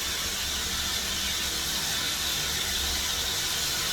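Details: 1922 Polson #70 Baldwin 70-ton Mikado steam locomotive, cab, boiler hot and steam building, injector at low feed: steady high-pitched hiss with faint singing note, never breaking or sputtering; injector feeding water properly.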